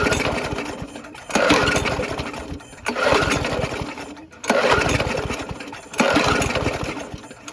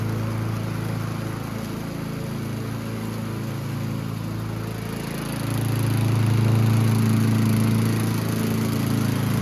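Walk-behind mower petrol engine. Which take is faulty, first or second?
first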